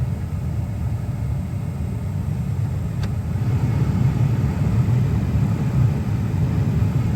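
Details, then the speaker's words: Saab 9-3 (2004+, manual climate control) cabin blower fan after blower motor resistor replacement, ignition on, engine not running, heard at the fan: steady even low whoosh and hum, no ticking or rattle; normal blower operation. "Okay, and let's go maybe to position 1. Yeah, so the fan is a little bit loud."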